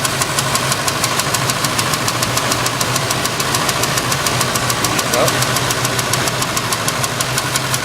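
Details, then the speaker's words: Cadillac Coupe DeVille Cabriolet, 7.0L 425ci V8, being tuned with new AC Delco plugs, wires and coil: light sharp tick about 3.5 per second over a steady V8 idle; source not yet found. "uh we'll have a coupe done so will just change the plugs and the wire and I got this ticking noise in here"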